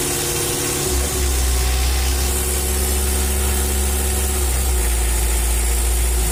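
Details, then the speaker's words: Mitsubishi L300 diesel after an injection pump service and tune-up; before, it was rough, knocking and smoky. Steady, deep idle with an even, quick beat, no rough clatter or misfire, and smoke now gone. Normal idle. "Setelah pompa diperbaiki, bunyinya jadi halus seperti ini, cukup bagus, teman-teman."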